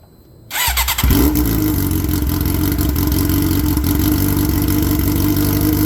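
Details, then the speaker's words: 2007 Suzuki GSX-R 600 with muffler broken off in a crash, after sitting a couple weeks: fires on first crank into a harsh, very loud, raspy unmuffled idle; essentially a straight pipe, likely untuned, hurting power and efficiency. "well there you go very annoying I I'm old you young guys might like that loud noise but it's not good for performance this bike is most likely not tuned so having a essentially a straight pipe it's going to going to kill the power and the efficiency out of it"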